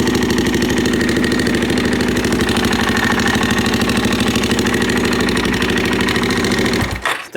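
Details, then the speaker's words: Suzuki LT-Z400 ATV with manual cam chain tensioner, aftermarket pipe, apparently missing top engine mount, idling: quick light ticking clatter over the single-cylinder beat, loudest on right side near cam chain; top-end valvetrain noise, suspected cam chain slack, unconfirmed. "on this right hand side, definitely around the cam chain, but I just want to look and see how much slack we already have in the chain maybe."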